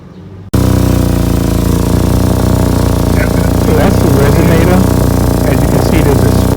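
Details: 2014 Chevrolet Equinox, microphone under the car at a holed, split exhaust resonator: loud raspy low rumble at idle with uneven puffing, much louder than a sealed exhaust; exhaust leak from the bad resonator.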